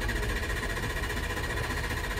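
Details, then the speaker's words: 2005 Ford 6.0 Powerstroke, hot: steady even cranking drone that never fires; injection pressure regulator at 85% while ICP only 286–288 psi, below 500 needed; long crank no start, high-pressure oil leak suspected. "you can see, our injection pressure regulator is hitting 85%, which means it's trying as hard as it can to build pressure. And our ICP is hardly making pressure to start. 286, 288, that's not enough to start the truck."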